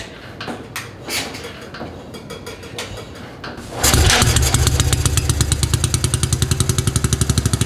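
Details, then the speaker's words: 1953 NSU Max single-cylinder motorcycle, first start since 1977 (45 years): a few scuffing kicks, then it catches and settles into a loud, steady, slightly uneven thump; it runs but needs tuning. "First start in 45 years. We've got some tuning to do, and I need to put the harness and whatnot together, but this is good. It shows that it runs."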